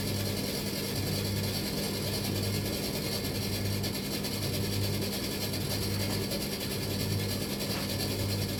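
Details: Bosch XL7 tumble dryer, drum turning but stone cold with no heat: a low clunk-rattle comes round about once every second and a bit over a steady hum, something catching as the drum turns; cause unknown.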